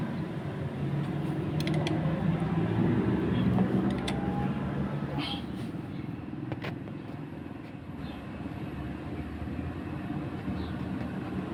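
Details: Honda Scoopy-i scooter that had run with dry engine oil and was noisy at idle, after cylinder head cover gasket replacement: quiet, steady low hum with even beat and no top-end ticking or rattle; idles cleanly.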